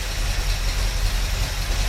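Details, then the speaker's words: 1972 Ford Mustang Mach 1 with a Ford 4300 carburetor, just started cold after the fuel tank install, on a possibly weak battery: a low uneven harsh chuffing idle; the owner suspects the cold, and it doesn't smell very rich. "moment, euh, ça peut être dû au froid aussi, je veux mettre le filtre à air dessus n'a pas une odeur aussi riche"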